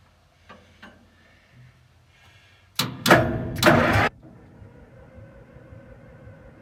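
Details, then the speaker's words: Link-Belt LS40 engine, first start attempt after long sitting, full choke and throttle: about 1.5 s of cranking that never catches; no-start because the coil wire was not plugged into the distributor cap. "If you look closely here, you can see the coil wire isn't plugged into the distributor cap. I didn't realize it at the moment."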